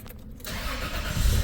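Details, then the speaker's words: After clearing codes: brief crank, engine catches cleanly and settles into low, even idle with no stumbling; normal start. "all right, she sounds good. So let's go for a ride."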